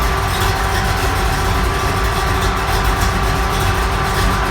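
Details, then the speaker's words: Engine for a 1929 Ford Model A pickup on a test stand, idling after about half an hour of running, oil pressure roughly 20 dropping with idle speed, initial timing about 14; smooth steady low rumble with fan whoosh, no knocks or misses, normal idle. "It gets lower depending on how fast it's idling. But it's running good."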